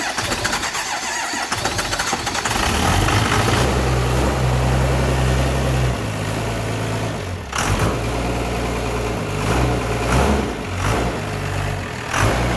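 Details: 24v Cummins after the P-pump was reinstalled and the fuel was primed with the electric lift pump: the diesel cranks, catches and settles into a steady idle with a few light throttle blips, running smoothly.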